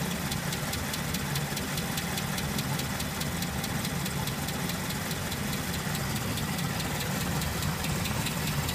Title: Ticking Noise 69' IIA